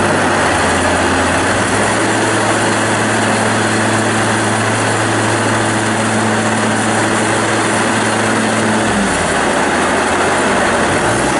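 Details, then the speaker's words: 2017 New Holland Boomer 24 compact tractor, 24 hp 1.3 L Mitsubishi 3-cylinder diesel, 329 hours, freshly serviced: a steady, even three-cylinder drone that settles to a lower note partway through, with no knocks or misses. Normal running. "powered by a 24 horsepower 1.3 liter mitsubishi 3-cylinder diesel engine starch runs excellent no abnormal noise smoke blow by anything of that nature"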